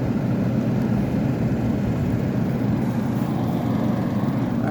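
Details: Kenmore (Whirlpool) 10K medium-chassis window air conditioner, compressor possibly Tecumseh AK, Copeland or another make, unit age unknown; fan needs thrust washers badly. Steady, even low hum with no knocks or rattles; compressor running smoothly.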